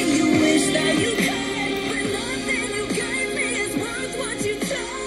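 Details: Harman Kardon Aura 2 speaker, brought in for crackling sound, playing a song in a test before disassembly: vocals and beat are clean with no crackle, rattle or buzz, so this small driver sounds healthy.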